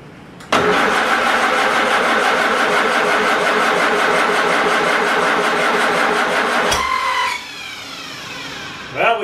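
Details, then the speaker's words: Farmall Super A with ignition grounds and wires being reworked, cranking with a shot of ether: about six seconds of even, rapid cranking that stops without catching; weak spark keeps it from firing. "I am gonna give it a shot of ether just to see if it's gonna fire"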